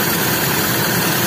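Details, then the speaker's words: Toyota Kijang Super, hard to start and limping: loud, uneven, stumbling idle under heavy hiss from a compression leak; cylinder head found porous and pistons worn from overheating. "ada kompres yang bocor Iya tapi nggak tahu nanti kita lihat dulu kalau gigi baru semua nggak mungkin Mati"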